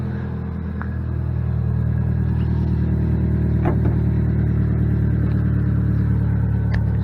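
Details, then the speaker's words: 2006 Saturn Ion Redline, 116,602 miles, at start-up settling into idle: loud, raspy low rumble with rapid puffing pulse from a major exhaust leak. "It does have a major exhaust leak too, so not hear me once this gets going."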